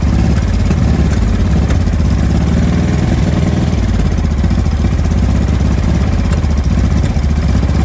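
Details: 2005 Honda Deauville NT650V twin just restarted after carburettor refit (vacuum pistons repositioned), cold on full choke: a deep, rough run with scattered exhaust pops and bangs. No air leak, it is just cold.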